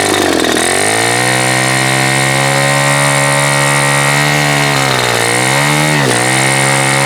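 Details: Super Tigre G4500 glow engine, first run, before low-speed needle adjustment: buzzy steady drone with speed sagging twice near the end, each time recovering; rough idle, owner suspects it is a little rich on the low end.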